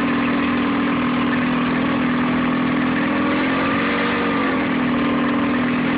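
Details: Nissan 9.8 outboard, first start on a cold day with the choke on, water semi-warm, started on the third pull: steady low idle with a slightly lumpy beat, no revving, a bit rough; owner unsure if it's not warmed up or the off-idle needs adjusting.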